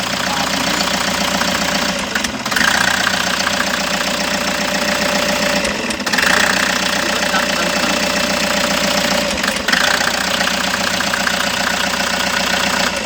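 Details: Toyota HiAce engine chugs unevenly at idle with a noticeable stumble and dip every few seconds; misfiring at idle, cause suspected but not confirmed, diagnosis ongoing.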